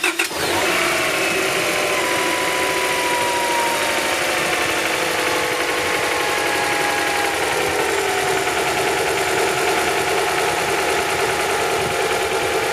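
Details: Honda project car (BB6) after ignition work including the distributor rotor and new spark plugs with anti-seize: catches quickly and settles into a steady, even idle with no misfire or knock. Normal idle.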